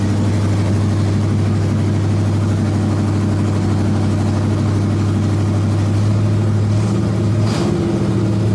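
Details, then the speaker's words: 1986 Chevy K-10 V8 with new heads, 194 intake, headers, after engine reassembly: deep, fairly even idle rumble with no dropped beats, back to running on 8 cylinders instead of 6. "Okay, that sounds a lot better. Back to 8 cylinders instead of a 6."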